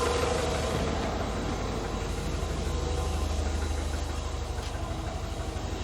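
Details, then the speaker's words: Classic carburettor car warm enough to need no choke, idling low and steady around 800 rpm, a touch shaky because it is not quite at optimum working temperature; expected to rise to 900 rpm once fully warm. Ready to drive. Normal warm idle. "And what will happen in a bit is, give it about a minute, that 800 RPM that it's just about coping with will become 900 when it gets to real working temperature."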